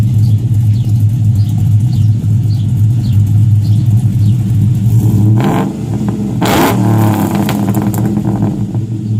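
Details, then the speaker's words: 2007 Chevrolet Avalanche V8 with Stage 3 Texas Speed cam and new OBX long tube headers: deep loping idle, then clean rev climbing and falling smoothly; normal cammed V8 idle and revving. "Sounds good. Sounds great. Check it out. 07 Avalanche, man. Stage 3 cam, Texas speed."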